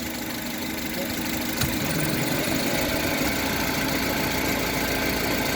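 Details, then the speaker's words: Honda HR-V CVT: quiet in Neutral, then after a light clunk into Drive a low droning hum from the rear area appears, louder with a little throttle and gone in Neutral; transmission hum, owner suspects bearings. "вот такой гуд появляется. Вот где-то здесь вот сзади."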